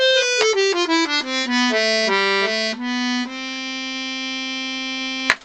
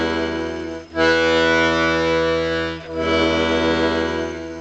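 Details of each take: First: Vintage Scarlatti 24-bass accordion, treble-side reeds after tuning to A440: clean, steady notes step down a scale and hold a long chord with no beating, buzz or waver; well in tune. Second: Scarlatti 24-bass accordion after tuning bass reeds to A440: sustained bass chords with a slight rattle on the E note on the push (bellows closing), to be investigated by removing the bass blocks.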